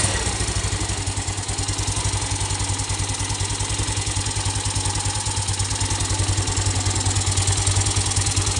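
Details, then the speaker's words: Yamaha Mio Sporty scooter, restart after engine rebuild with exhaust refitted, lightly choked: fast steady single-cylinder idle with a constant airy hiss, crankcase pressure escaping where the rubber cap of the cam chain tensioner adjuster port had popped off. "At nung chinek ko at hinanap ko kung saan nanggagaling yung tunog, bigla ako nakita dun sa may tensioner. Tumalsik or natanggal pala yung goma ng ating tensioner kung saan tayo nag-a-adjust."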